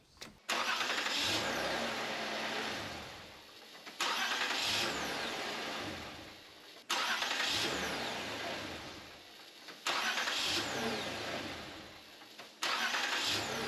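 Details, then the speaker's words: 2008 Toyota Camry 3.5L after starter motor replacement, started five times in a row: quick clean cranks each catching straight into smooth idle, no grinding or clicking; new starter working properly. "Nice, start it up 5 times in a row. Sounds good to me."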